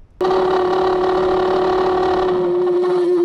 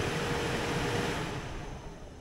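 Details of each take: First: Used Ford blower motor bench-tested off the truck on direct voltage; steady hum with a gritty, uneven edge, not as smooth as the other fan — rough-running blower motor. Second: Blower motor bench-tested on direct voltage; even, steady airy whoosh with no rattle or scraping before spinning down — smooth, normal blower operation.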